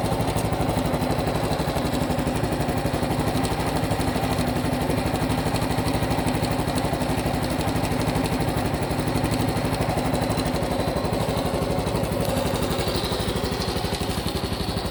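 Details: Honda Cub Pro small single at idle, abnormal engine noise after an oil change meant to fix it: a sharp, regular ticking about four times a second riding on a steady idle. Cause unclear.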